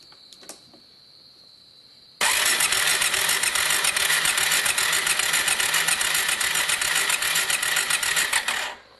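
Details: Kawasaki Bayou 400 ATV started after replacing the broken plastic oil pump drive gear, with the oil filter left off to confirm pumping. It catches at once and settles into a steady, even idle with no knocks; the pump is pumping well.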